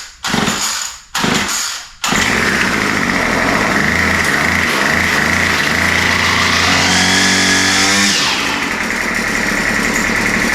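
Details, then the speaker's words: Murray straight-shaft line trimmer, previously would not start, restarted on full choke after priming; catches after a few pulls and holds a steady high buzz; high-speed mixture needle opened slightly as it seemed a little lean and slow to warm up; runs well. "yeah so it still sounds really really good uh I opened the highspeed mixture needle just a touch it sound like it was maybe just a little bit lean having trouble warming up but yeah it runs really really good"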